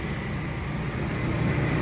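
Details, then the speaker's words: WEN generator powering an air conditioner: a steady low whoosh and hum with no surging, rattles or strain, while the lines are hot and cold as expected. The AC blower runs normally and is not starved for power. "It sounds like it's running fine. I can say from living here in the past, this sounds absolutely normal. It's not starving for power. The blower inside of it is running just fine."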